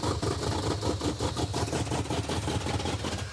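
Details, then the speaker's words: 1970 or 1971 Super Camaro V8, after header gasket, manifold, carburetor and timing fixes: a lumpy, uneven idle with irregular stumbling beats. It is running rich and glugging fuel because the rear carburetor float bowl is set too high. "Wow. This thing runs awful. It runs even worse than when it wasn't running at all. It's because it's glugging fuel is why. Rear float bowl set too high."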